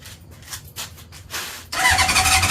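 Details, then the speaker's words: Honda CB750 barn find: starter spins engine in steady whirring rush but it never fires; owner thinks coils weren't getting power and added a switch; cranks without starting. "it cranks. Here we go, guys. Oh, nothing yet. Is it gonna go?"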